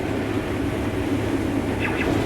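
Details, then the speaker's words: Combine harvesting 6744 corn on better bottom ground: loud, steady rumble with constant coarse rushing, like cinder blocks going through, no rhythmic knock or rising squeal; heavy crop threshed normally. "I tell you one thing about this 6744 is sure sounds a lot different going through the combine it about sounds like I'm running some concrete cinder blocks through there"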